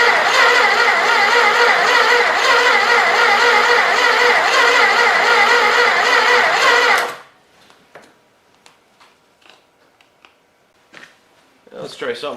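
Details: Old 318 engine sat for a long time, ballast removed giving better spark, intake wet and possibly flooded, throttle held open, battery recharged, starter on jumper cables: even quick chug about three beats a second for seven seconds, stops dead; cranking no start.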